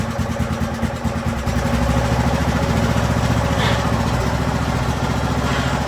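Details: Craftsman YT3000 riding mower with swapped donor engine, on jumper pack during transmission test, oil due for change: steady even single-cylinder beat, smooth low thump, no knocks or misses. Normal running.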